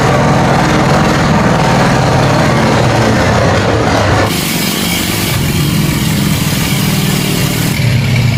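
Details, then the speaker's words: 1946 Plymouth P15 six after full rebuild with new pistons, rods, rings and bearings: loud, steady run with an even low beat and a brief dip in revs; running smoothly, fine. "Engine's running fine now."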